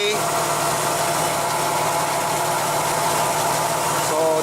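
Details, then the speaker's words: Engine with intermittent random misfire, checked with lab scope on ignition coil wires: smooth, even idle, no stumbles or skipped beats; misfire not present now, running as it should. "I don't see a misfire I don't hear it either this running as it should be"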